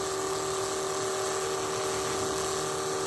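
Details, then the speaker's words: 1980 Trans Am nitrous system: electric fuel pump, steady hum with clean high whine, no surging, after remounting it the correct way (it had been backwards); pressure now holds 9–10 psi, pump deadheads and backflows excess. Healthy. "So yeah, that pump's supposed to be able to deadhead. It backflows the fuel that it can't"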